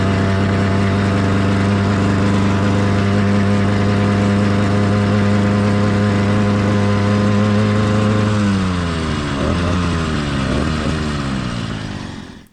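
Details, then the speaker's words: Kit motorized bicycle two-stroke with single-circuit carburetor at about half choke to simulate an over-rich mixture. Heavy, uneven burbling replaces a clean buzz, then sags and dies. Excessive four-stroking with sluggish acceleration, rough running, vibration and a stalling idle. "an excessive Rich running condition has a lot of drawbacks as you can see in the video acceleration was sluggish the motor had poor performance the idle wanted to constantly die and there was excessive vibration the motor was just running very rough"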